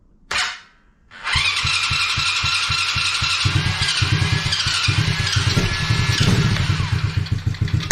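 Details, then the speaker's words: Coolster 110cc quad after sitting two years, first start after fuel and air filter refitted: quick catch after short crank, then steady single-cylinder putter at even idle with small blips, runs without choke while warming; normal running. "it runs fine without the choke so there we go it takes a little bit to warm up"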